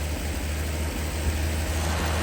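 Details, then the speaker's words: Slant six in a Lull machine, revived after sitting all winter, now on a swapped-in electronic ignition module and distributor; low, steady rumble with an even idle and no misses or knocks; timing slightly advanced, giving a high idle. "back in the land of the living that electronic ignition is working pretty slick too I might add"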